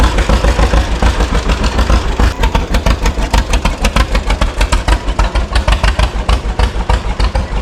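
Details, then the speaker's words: 1936 John Deere Model A two-cylinder tractor, first run after sitting three years: slow heavy putting about three beats a second, slightly uneven spacing; runs but owner thinks it needs adjusting, cause unconfirmed. "It needs a little bit of gist but And I'm not very good at that part. But I'll adjust a little bit I don't know. That almost sounds good in a way but I'm not sure."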